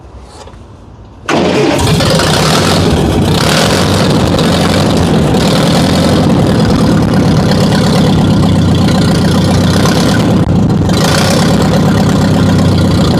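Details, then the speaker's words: Barn-find Ferguson TO-35, formerly seized engine, first start after fuel part replacement, no exhaust fitted: cranks, catches and holds a loud high steady speed that won't settle to idle; governor faulty. "Yeah, that governor's shot. But it idles good."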